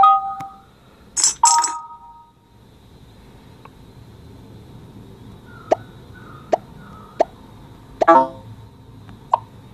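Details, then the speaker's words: iPhone speaker playing about ten short clean game blips with no crackle or buzz, for comparison with the iPhone 8 Plus crackling later fixed in iOS 11.3. "but yes again here when I do that 10 incorrect guess again you can't hear any of the crackling noise"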